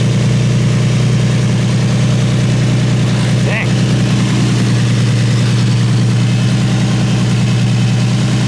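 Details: Infiniti G35 V6, just after replacing spark plugs: steady, even low idle with no knocking or stumbling and no blow-by; fires smoothly and sounds healthy.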